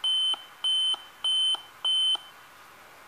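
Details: Dell Inspiron 14R 3450 laptop powers on, lights come on but no image, with four short high beeps: a memory error code, here caused by the memory slot, possibly also bad memory.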